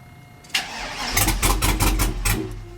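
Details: Old truck with 6.0 L engine and 4L80E, after 10- and 30-minute VATS relearn attempts: starter spins engine evenly over a second with no firing or catch; crank no start from anti-theft (VATS) lockout, later deleted with HP Tuners.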